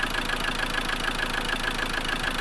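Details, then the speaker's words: Land Rover Defender 110 with Ford 2.2 TDCi diesel, replacement engine, smoking badly: uneven lumpy galloping idle as if running on three cylinders, nearer normal when revved; suspected dead cylinder, diesel coming from exhaust, not confirmed. "listen for the nice Gallop when we fire it up Gallop three cylinders all lights out engine management light out"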